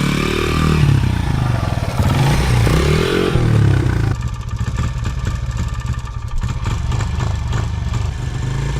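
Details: 2011 Honda CRF100 bought used: small uneven single revs falling back, then a lumpy stumbling idle ready to die; must be revved to stay running until the carburetor is tuned, carb suspected.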